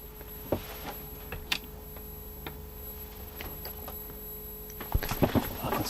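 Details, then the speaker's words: Early-1980s AWA/Thorn 38T1 CRT TV, Mitsubishi Q chassis, after servicing: thin steady high-pitched squeal from the horizontal section over a quiet hum, with handling clicks; also some buzz from the yoke's vertical side. "certainly still hear it it's not the quietest TV in history but they will make a bit of a noise it was always how you knew they were running"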